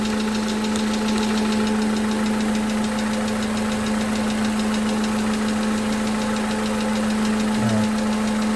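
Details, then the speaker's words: 2011 Toyota Camry 2AR-FE after lifter and rocker arm replacement, running with AC on; slight fast ticking about four times a second over a steady engine hum at raised revs, suspected lifter tick, unconfirmed. "However, I do hear, I don't know how we can hear it, but I do hear like a slight ticking. I do hear a slight ticking."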